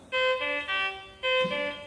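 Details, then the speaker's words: Infusion pump with no IV set loaded gives repeating bright two-note chimes about once per second, an air-in-line alarm because no set is loaded. "it is detecting the air I will try to open the door and so at all it is protecting some air over here it is today giving you an air alarm"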